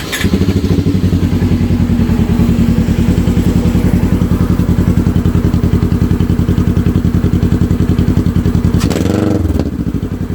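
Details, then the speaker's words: 2015 Polaris RZR 900 S fitted with a RZR 900XP exhaust, steady idle with a short rev blip; deep, even exhaust thump, sounds healthy and strong, normal running. "i like it sounds good"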